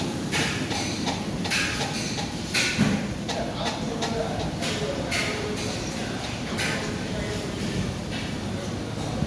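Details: KDK M60SG ceiling fan running: light, regular ticking about twice a second under busy room chatter, from bad bearings.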